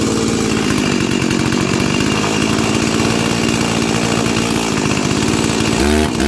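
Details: Junkyard-rescued Stihl 036 chainsaw, rebuilt with carburetor installed and tuned, NGK BPMR7A plug and 20-inch bar: a steady high-pitched scream held flat at full throttle, 13,410 rpm max (target thought 13,000), clean and even with no bogging or surging.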